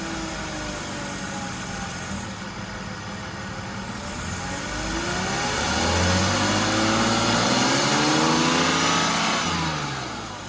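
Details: 2002 BMW E46 325i Touring, petrol six, after much work including new alternator belt, flywheel and clutch: revs up and settles with a thin whine rising and falling with engine speed; cause unknown, owner unsure if normal.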